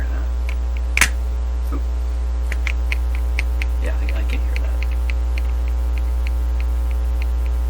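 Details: Dominion Electrohome TR50 console with BSR 610 record player, cartridge output into a microphone input at high gain: loud steady low hum with a few faint clicks, heard while tracing a dead channel; suspected earth hum or static from touching, not confirmed.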